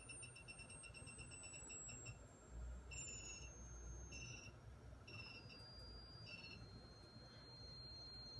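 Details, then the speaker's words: Dynaco ST-70 tube amplifier during bench testing, bias about 1.53, 117 V from variac: thin high tone steps down as test frequency sweeps 15, 14, 13, with chirpy bursts; whine from the amp itself, possibly bad solder joint, unconfirmed. "you'll notice that there there is a noise in the amplifier you can actually hear and I have to find out where that is if you hear the frequency this is not a speaker it's actually the amplifier"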